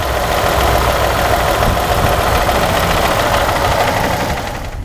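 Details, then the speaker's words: 2017 Ford F-150 3.5 V6 with new phasers and chain: a steady light knock, roughly three or four per second, over the idle; it doubles when spark is removed from cylinder 2, indicating a piston knock. "It sounds like I get a double noise when I take the spark away."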